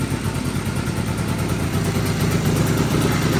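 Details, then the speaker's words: 1983 John Deere Liquifire snowmobile two-stroke, running 40:1 premix plus oil injection, idle set too low, without airbox: uneven, choppy beat that stumbles; power-jet carburetors bogging from missing airbox. "You can hear it's really dogging. It's cuz I'm running it without the airbox. These power jacket carburetors really rely on that airbox."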